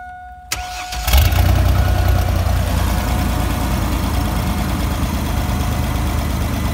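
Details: 2000 Chevy Astro van, 4.3 V6, after fixing a crank-no-start that had it stalling at idle (a one-bolt plug-in sensor replaced): brief crank, catches right away, steady even idle with no misses; starts and runs normally.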